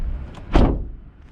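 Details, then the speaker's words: Ford Fiesta ST3 three-door, door shutting: one heavy, dull, van-like hollow thud. Owner wonders whether worn door rubbers cause it; nothing clearly faulty. "I don't know it doesn't sound amazing it it literally sounds like a van I don't know if they're meant to sound like that again I don't know if my like rubbers are worn"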